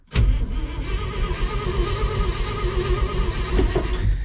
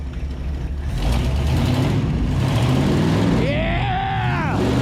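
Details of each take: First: 1970 International Loadstar truck being revived after sitting locked up, cranked to test fuel pump pickup: laboured, dragging starter whir, engine turns slowly and heavily, getting harder to crank, never fires. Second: 1970 International Loadstar truck, revived from locked-up, idling after start despite low coil voltage: deep, even, really smooth idle rumble with no misses or knocks, some whistling over it; runs great.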